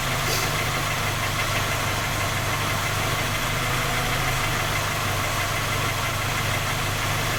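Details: Skoda Octavia A5 facelift 1.6 MPI, cold idle: steady, even light tapping knock over the engine hum. Three engine repairs done, fault not found, still knocking; source not pinned down.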